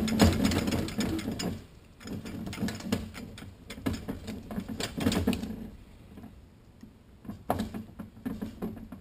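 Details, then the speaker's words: Toyota Supra A340 / Jeep AW4 automatic transmission rebuild, overdrive clutch drum rotated down onto direct clutch plates over Torrington bearing and sealing rings; bursts of light ratcheting clicks show the drum has dropped in and seated correctly. "Hear that nice clicking sound. You know you have it in right."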